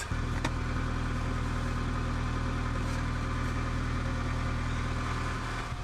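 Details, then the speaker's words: Honda Integra DC2 with newly fitted Tanabe Hyper Medallion exhaust, warming up after install: steady even low idle, smooth deep solid non-raspy exhaust note, no ticking or puffing; joints sealed, no exhaust leaks. "so how good does that sound it's not like an obnoxious sound at all it's like a just like a really solid sound if that makes sense like not raspy i'm thrilled with that like it's going to be enjoyable sound"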